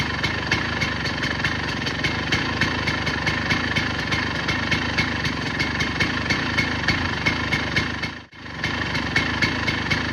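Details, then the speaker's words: KTM EXC 250 two-stroke, 70 hours, properly jetted, straight header pipe, rebuild planned at 85 hours: crisp, even popping idle at about four beats a second, with a quick blip near the end; clean, normal idle. "So I'll start it up in a second and give you the full sound of it. It's jetted and all that properly too because I had to go through all that process."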